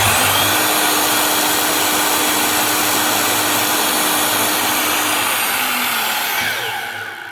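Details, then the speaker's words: Makita LS1019 miter saw motor, retested with filed holders and new brushes: loud whine with rough crackly hiss, then spin-down; brushes still sparking and burning, so the armature is worn, possibly testing alright on the growler but failing. "Might be testing alright on the growler, but that armature's still gone. It's not gone completely. It's just that it's on its way out."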